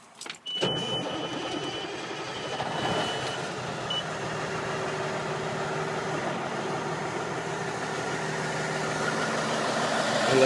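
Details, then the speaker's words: 2002 Kenworth T800 truck, cab damaged but mechanically sound; quick crank, clean catch, then steady even diesel idle with no knocks or misses; normal start and idle. "Now, the unit does have some issues in terms of damages, however, mechanically it is sound. Let's take a listen to the motor."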